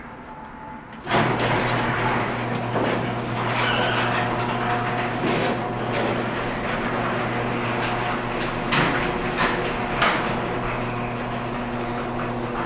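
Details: Garage door being lowered after lubrication grinds and rumbles along its track, with sharp clangs and bangs late in travel; the banging persists despite the lube.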